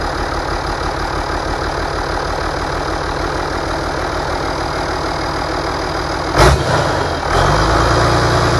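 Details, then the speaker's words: Rebuilt International DT466 diesel from a loader, previously knocking, test run: even, steady diesel clatter at idle with only a brief bump near the end, no knock; idles healthy. "it runs good uh so far we're going to do some other maybe adjustments and a few other things"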